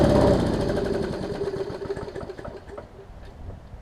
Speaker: That one doesn't even sound like it needs a carb kit or anything. It sounds like it runs pretty good.